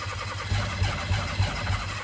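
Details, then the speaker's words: Mitsuoka Yuga/Mira after fuel pump replacement, fuse no longer popping: starter cranks in steady pulses about three per second, never fires; owner suspects insufficient fuel delivery. "I feel like I'm just killing my starter over and over when I do this. I think it's just not getting the right amount of fuel."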